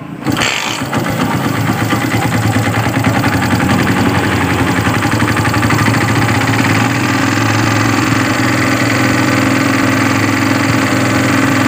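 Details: Yamaha Byson motorcycle with a starter problem, key on after battery voltage checks: quick crank, then it fires at once and holds a steady idle without stumbling; left running about 5 minutes to charge the battery, regulator charging normal at 14.31 V.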